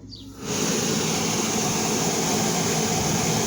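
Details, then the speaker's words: Dodge/Chrysler (2010–18) rear A/C unit after the repair for a clicking noise: the blower comes up to a steady, even rush of air with no clicking, and the blend door actuator opens and closes properly. "esta la compuerta abre y cierra tenemos aire ya no se escucha el ruido entonces hicimos buen trabajo aquí"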